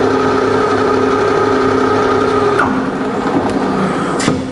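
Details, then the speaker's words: Fully rebuilt Bridgeport belt-drive milling machine spindle in low range, both motor speeds: smooth steady hum with even tones, no knocks or grinding, easing off as the spindle slows; normal running. "it's just as quiet in low and low gear and the both speeds on the motor"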